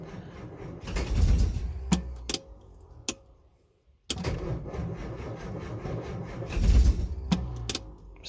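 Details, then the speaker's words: 1964 Austin Healey 3000 Mk3, cold start after weeks unused: sluggish, laboured cranking in two bursts that never catch as the battery fades; some firing, owner worried about flooding, cause of slow cranking not confirmed. "it's it's so close it's so close and it's wanting to go but I can feel the battery going"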